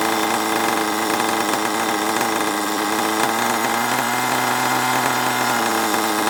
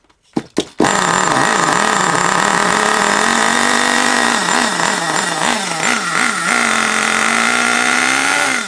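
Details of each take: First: HPI Savage 21 nitro RC monster truck, old and long unused, after needle leaned out and further tuning: high buzzy engine at a fairly even speed, slightly unsteady but running cleanly enough; still needs a good drive. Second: Long-unused HPI Savage 21 nitro RC monster truck engine, last tuned richer for winter, possibly water in the fuel: loud burbly buzz surging and sagging, hunting; mixture very rich, needs leaning out.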